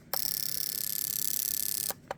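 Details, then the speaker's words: Fuel injector from a 2002 Subaru Outback 3.0 L, 150,000 miles, on a pulse tester in mode four continuous actuation before cleaning: rapid, even buzzing ticks in a quiet room; injector clicking normally. "we've got it set on mode four which is the continuous um actuation and if you listen closely here I'll press the pulse and you'll you'll hear the uh injector"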